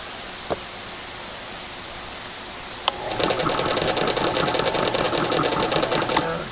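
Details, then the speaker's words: Cheap old drill press, model unknown, belt adjusted per manual, some oil added to motor bearing: motor spins up into a busy whir with fast uneven ticking and rattle; bearing not loose, cause unclear. "sound any better i don't know why it sounds like that i don't know but it's not loose there's no loose bearing here it's tight"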